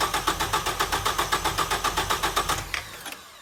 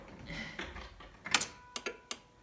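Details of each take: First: 1989 Ford Probe GT Turbo with no-start issue, after installing a new fuel pump with six gallons in the tank: even starter cranking about four turns a second, then it catches and runs. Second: 1989 Ford Probe GT Turbo, no-start, new fuel pump just installed, six gallons in tank, key on: a few sharp relay clicks in the quiet cabin but no fuel pump hum; pump not running, engine later started.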